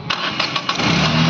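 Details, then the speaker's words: Renault Kwid RXT with a crank-but-no-start fault (relay not activating with the key, no ground in the wiring), cranked with the relay ground wire attached: a few quick cranking beats, then it catches within a second and settles into a steady idle; a clean, normal start. "ये हमारी गाड़ी start हो चुकी है फिर इसमें बंद करो गाड़ी"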